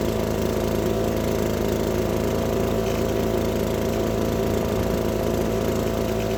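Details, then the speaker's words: Gas two-stroke leaf blower warming up after a carburetor fix, now running completely differently; steady even drone holding constant speed with no surging or stumbling, running smoothly and normally. "Let that thing warm up. It was just the carb. It's acting completely different."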